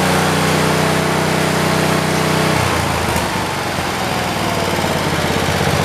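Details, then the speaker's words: 1973 (John Deere) 112 garden tractor single-cylinder after new points, coil, condenser and carburetor, plug wire cracked: uneven beat with dropped firing pulses; misfire still present but less, only when the clutch is pushed, runs good without load. "It's still got the miss to it. It's not as bad. It's only when you push the clutch down. When it's got no load on it, it runs good."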